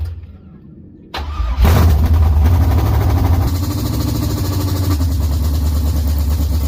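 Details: LS-swapped Chevy Camaro V8, first start after rebuild, no coolant or transmission fluid yet so run briefly: short crank, quick catch and rev flare, then deep even V8 idle; normal start.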